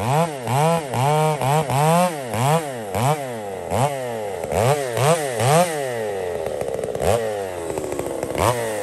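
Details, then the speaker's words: Poulan 655 chainsaw bucking cedar firewood, carburetor deliberately richened after seeming a little lean, to be leaned out later; revs rise and fall about twice a second, then a bogging note under cut: rich mixture. "I fatten it up a bit here, friends. I just thought that might have been a little lean. I actually lean it out again here in a minute, but I just fattened it up."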